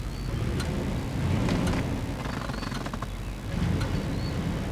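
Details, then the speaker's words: 1995 Cadillac Fleetwood V8 idling after its misfire was fixed: light ticking over a low rumble from an exhaust manifold leak caused by a broken manifold bolt, left unrepaired. "can hear that ticking sound hold on turn that thing off yeah so yeah that's because of a broken exhaust manifold bolt"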